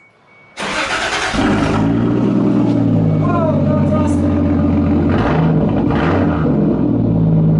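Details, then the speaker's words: Toyota Supra with newly welded custom 2.5-inch exhaust: engine fires at once into a deep, steady burble with even pulse, no rattles or leaks; clean, healthy note. "oh right so that's that oh well that looks I see right there and she sounds good too"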